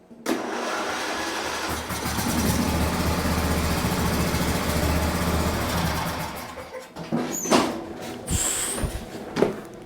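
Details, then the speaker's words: John Deere riding mower, Briggs and Stratton V-twin, brief test start just after cylinder head and head gasket replacement, covers not yet refitted: cranks briefly, catches and runs steady and even for several seconds: normal start and run. "Sweet, we got it running. All right, there you go."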